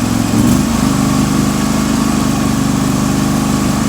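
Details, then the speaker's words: John Deere 316 with a swapped-in 18hp Briggs & Stratton Vanguard V-twin, after fixing the carburetor: steady, even idle while warming up, running without choke, no misses or hunting; fuel shutoff solenoid now working, so no backfire. "It's here at high RPM. This thing sounds great. man, this thing runs good now. And there's no backfire now because the fuel solenoid shutoff valve there is working as it is supposed to."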